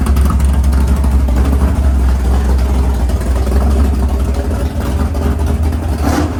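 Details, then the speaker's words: Freshly built 500ci big-block Mopar in a 1969 Barracuda, first start in the car: idle lowered toward 1000 rpm, low loping choppy cam beat, steady and even; normal healthy idle. "Sounds good. So they said 1100, huh? 1100. You can hear the cam a lot better, even a little bit lower, like right at 1,000."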